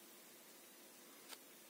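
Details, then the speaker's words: PC speakers at maximum volume after fitting a homemade mains filter (Soviet 680 µF capacitor) to the system unit: only a faint steady hiss, the mains hum gone and clean. "сейчас колонки подключены компьютеру компьютеру подключен сетевой провод и как слышите ничего не слышно послушайте"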